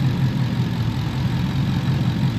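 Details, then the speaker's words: 2015 Ford Mustang with code P0308 after the spark plugs and coil were swapped between cylinders 7 and 8, warm idle: a low rumble with a recurring lope. The cylinder 8 injector signal drops out as the engine warms, suggesting a failed injector or its driver. "miren ahí Ya volvió a a a jalar el el inyector Pero conforme pasa el tiempo pues se va la"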